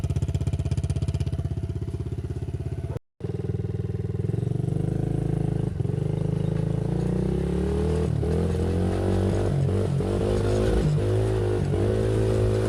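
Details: Loncin 70cc ATV single just rebuilt, first start with no air filter or exhaust: catches and runs on, firing steady and picking up revs, raw but even; healthy after rebuild.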